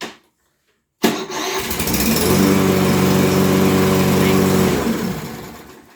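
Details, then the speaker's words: Toro electric-start lawn mower, about five weeks old, that would not start; after replacing a blown 40 amp fuse, a short crank then a quick catch and a smooth, even, steady putter before winding down. It starts and runs normally. "so went over to uh the autozone got a 40 amp fuse we're gonna put it in and we're gonna give it a shot"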